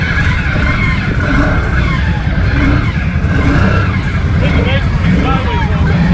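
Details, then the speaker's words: 2019 Can-Am Outlander on 29.5x8 Assassinator mud tires, working hard in thick mud: engine drone with a thin squeal from the CVT exhaust, the belt whining under heavy load; primary clutch and secondary spring upgrade planned. "So when I'm getting into soupy stuff or thick mud that's really putting some tension on the whole system, I can hear that belt screaming out the CVT exhaust."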